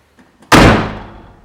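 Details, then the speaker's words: MK3 Toyota Supra, window fully lowered: door slammed shut with a bright clattery lingering ring as the glass rattles inside the door on closing. "when the window is all the way down you can hear it rattle inside the door when you close the door"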